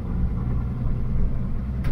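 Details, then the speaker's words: Toyota HJ75 Troop Carrier with 2H turbo diesel, nearly 40 years old, after rebuild: deep even diesel rumble with steady beat, previous knock gone, no weird noises; running smoothly. "Even the engine sounds like it's just like running smoother. Yeah. Like it's not like... There's no weird noises coming from the car whatsoever."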